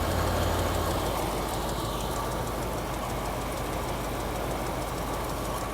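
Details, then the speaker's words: Classic carbureted V8 with mild cam, stone cold after carburetor cleaning: steady, flat, even idle with no misses; running healthy. "uh because right now it's idling great even cold so yeah who knew I know it doesn't look like it's idling but it is I mean you can hear it running behind me"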